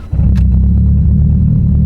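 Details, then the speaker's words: Mitsubishi Evo built for 700+ whp on flex fuel at about E69–E70, which has been having starting issues; it catches within a fraction of a second, no throttle needed, into a strong steady rumble: a normal start. "beautiful the check engine light flashes and all that's doing is adjusting the ecu for the ethanol content that is in the car because it's on flex fuel"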